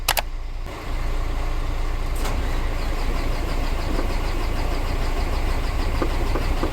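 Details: Mercedes Axor diesel truck that would not start or crank, with the ignition staying on without the key, repaired without replacing the engine harness: a short crank, then it catches and settles into a steady, even low idle.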